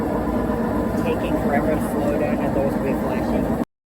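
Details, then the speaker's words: Whirlpool WTW4815EW1 top-load washer, intermediate rinse spin: loud, steady roar drowning out voices, no banging or knocking; bad bearings suspected, unconfirmed. "But, yeah, you could barely even hear my voice over that thing. It sounds like it has bad bearings or something."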